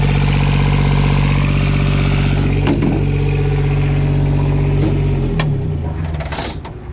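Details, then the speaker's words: Yanmar YB121U mini excavator (Japanese import, 2 m digging depth), diesel idling with an even, steady rumble, no knocks or misses, then winding down smoothly at shutdown; normal diesel running. "вот собственно такой экскаваторщик 121u очень классный четко работающий давайте послушаем Как работает"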